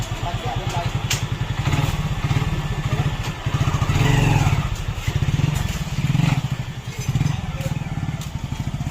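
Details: Hero Glamour single-cylinder motorcycle engine fires with a steady, even thump, rising and falling smoothly with the throttle, with no knocks or rattles; it runs healthy.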